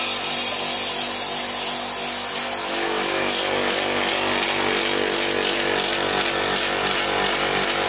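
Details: Copeland ZB42KCE single-phase scroll compressor on a condensing unit for a milk tank, found not pumping; after restart it pumped but ran harsh, loud and gritty with a rough pulsing roar that coarsened with run time, then appeared to stop pumping again.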